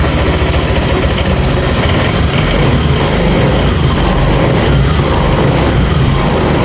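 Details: Honda Vario 150 after total electrical failure: dead battery, blown 25A fuse, rodent-chewed injector wire and socket replaced, MIL code 12 cleared. Fuel pump hums, then the engine catches and settles into a steady, even idle; normal start.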